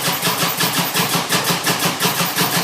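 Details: Harley-Davidson motorcycle cranking steadily at about five even compression beats per second with no firing or catch; raw gas smell coming from it, cranks but won't start, cause not identified.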